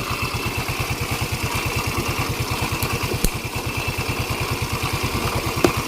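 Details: Yamaha Mio 125 scooter idling after the fault behind missing regulator/rectifier (kiprok) output was found and repaired; regulator plugged in during the test. Regular, evenly spaced idle pulses with no misfires or stumbles; a healthy idle.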